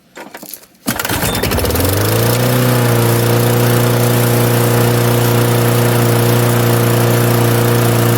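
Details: 1998 Murray 20506x8a push mower, auction find, throttle on rabbit, no working kill switch: pull start catches, revs climb within two seconds and settle into steady, even high-speed drone; runs cleanly.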